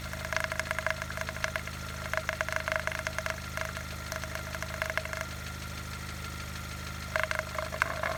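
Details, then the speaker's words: High-mileage car with oil level full, before adding Rislone engine treatment: fast light ticking over a steady idle hum, pausing briefly and returning; noisy valves and lifters at idle. "you can hear the noisy lifters right now oil levels are good so we're ready to add the wrist load additive and see how it works"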